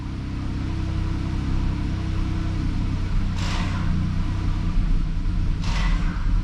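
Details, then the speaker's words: 2012 Chrysler 300 with crank no-start complaint, running on the old fuel pump after fuel-line and connector repair: low uneven rumble at idle with unsteady beat and no clean rev, runs poorly, fuel pump going bad, also a faulty ground; rough running from failing fuel pump. "you see that uh this fuel pump is going bad"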